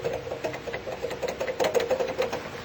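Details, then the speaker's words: Volkswagen with the AC switched on: fast, rattly whir with a steady mid-pitched hum from a worn AC compressor pulley bearing with visible play; the fix is replacing the bearing and recharging the gas. "É esse barulho que faz quando tá ligado o ar."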